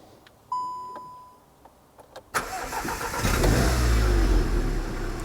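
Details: VW Golf R Mk7 salvage car, driven about 44.5 miles on the trip without trouble: chime, starter catches at once, engine fires and settles into a smooth steady idle; normal start and idle.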